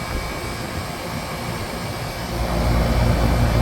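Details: AC condenser after replacement of the fan motor: a steady, even, smooth and quiet rush of air from the fan, with no knocking, scraping or wobble.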